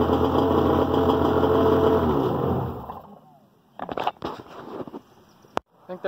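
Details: Tigershark PWC engine after replacing rubber engine-to-driveshaft coupler with machined Yamaha coupler, shimmed: runs evenly few seconds with steady drone then shuts off cleanly; no knocking or rattling from coupler.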